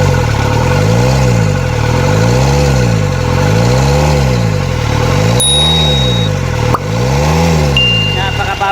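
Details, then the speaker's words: Repaired diesel (4GB1, injection pump rotor head fixed) revving in regular clean blips, rising and falling without stumbling; idle has risen and air is purged from the fuel lines. "Yan tumasa yung ano niya guys yung Menor niya wala na yung hangin niyan"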